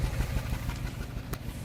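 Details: 2005 Land Rover Freelander V6 at idle with new plugs, good coils and a new MAF: a lumpy low beat with an occasional uneven stumble, an odd intermittent misfire the owner can't track down.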